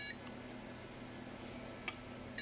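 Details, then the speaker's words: Battery-damaged ALR 386 motherboard with Phoenix BIOS, on an ATX supply via adapter, tried with a feature card: spaced groups of short high beeps, POST code 1-1-1-2-3, board failing self-test; later reports hard disk controller failure. "it's a phoenix bios that's why I'm doing that so the way the postcodes work on Phoenix bios is different"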